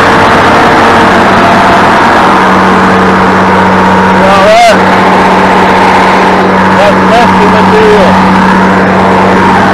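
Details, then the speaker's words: International 1586 diesel tractor after sitting about two years, steady even idle with a constant low drone, no knocks or misses, some background noise; owner says it sounds beautiful before shutting down; normal idle. "I am going to shut it down I want to let it run just a little bit though only because the man sounds beautiful beautiful"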